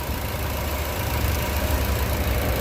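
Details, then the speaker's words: Car with propane system idling on gas after the four gas injectors were refitted and tightened: smooth, low, even rumble, no vibration or misses, running as cleanly as on petrol. "Hech qanaqa vibratsiya yo'q mashinada. Joy-joyda ishlayapti. Tiniq ishlayapti mana aka. Xuddi benzinda qanday ishlasa shunaqa ishlayapti."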